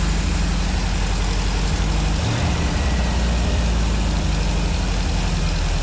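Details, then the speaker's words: 1965 Ford 289 4-barrel V8 for a 1955 Ford pickup, now with exhaust fitted, warming toward about 180°F: deep, heavy idle that sags and stumbles around two seconds in; it won't hold an idle and a carburetor rebuild kit is on order. "um we can't get it to idle so we've got a carburetor kit coming for the carburetor but uh we're gonna go ahead just run it and uh warm it up again today uh for you guys"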